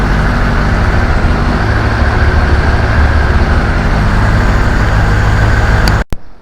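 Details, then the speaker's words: Honda CBR1100XX Super Blackbird, carbureted four-cylinder, just started after two years' storage, fed from a small temporary fuel tank, carbs not yet synchronized: steady, even burble with no misses, knocks or hunting for six seconds before cutting off; normal idle. "No całkiem ładnie jak na sprzęt nieruszany przez d lata. Nawet całkiem równo pracuje, a jeszcze nic nie jest wystrojone."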